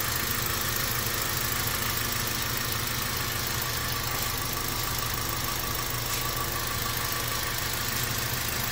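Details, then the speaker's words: 2017 Toyota Avanza after an oil change: smooth even idle with a steady low hum, the earlier loud top-end ticking gone. Normal, though the mechanic suspects underlying damage and advises further checks. "Wala na. Good."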